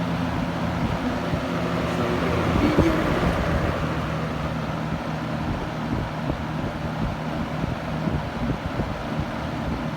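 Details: 1970s Kmart Lakewood K-223 20" box fan with Marco motor on low speed hums evenly with steady airflow, no knocking; earlier low-speed knocking was cured by a new spacer, running smoothly.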